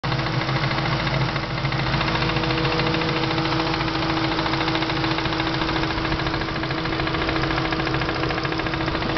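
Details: Supercharged engine idling with a loud steady knock, about three to four raps a second over a faint whine; mostly appears after hard driving, usually fades after a while; cause unknown.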